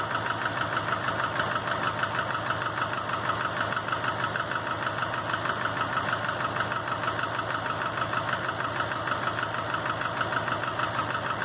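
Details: 2005 Subaru Legacy GT rebuilt (refurbished block, new crank and bearings, used rods/pistons and heads) after spun rod bearings; warm idle oil pressure 22psi, new plugs, no exhaust leaks, used VF40 turbo: regular dull knock about two per second over smooth idle, cause unknown.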